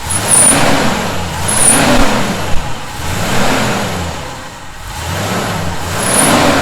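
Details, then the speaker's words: 1971 Chevy C10 pickup revved repeatedly: thin high whistle appears at top of each rev then fades; definite whistling noise, cause unknown. "I don't hear it was a definite Whistling noise"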